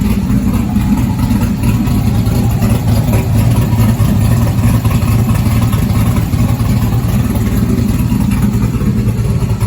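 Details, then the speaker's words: 1971 Chevelle body on a stock car chassis with a 5.3 LS swap, Holley Terminator, Sloppy cam and LS7 lifters, first start in 30 years: loud, deep, slightly lumpy but steady V8 idle with no knocks or ticks; a normal, healthy idle. "i'm very excited to hear it run and engine sounds healthy"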